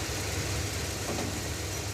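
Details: Stretched 1986 Chevy crew cab dually V8 after the power steering was bled, with no chatter when steering: a smooth, even idle with a deep steady rumble and no knocking. It is reluctant to take throttle, and bad gas is suspected.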